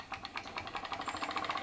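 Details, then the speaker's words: PM Research glass Stirling solar engine #7 driving a model Baker fan under load: light, quick, even ticking speeds up to a steady fast beat once the fan load is lifted, reaching about max speed; normal running. "great sounds like an engine under load working and um i reckon that's pretty cool for a sterling engine actually i reckon that's really cool for a sterling engine"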